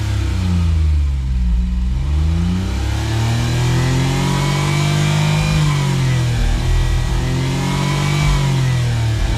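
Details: Suzuki Cara/Autozam AZ-1, DOHC F6A, on a drive: repeated rev sweeps cutting out early at a different max rev with a low droning brrr; mixture goes lean then rich at the limit; owner suspects fuel system, friend suggests valve float, unconfirmed.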